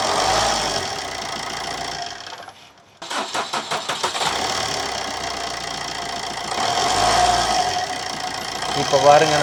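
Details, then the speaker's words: Suzuki Swift that would not start because water entered the ECM through a broken connector with cut pins; after fitting a replacement ECM, quick cranking, catches at once and settles into steady even idle. "நல்லா start ஆகி ஓடுது. ECM தான் கம்ப்ளைண்ட்டும்."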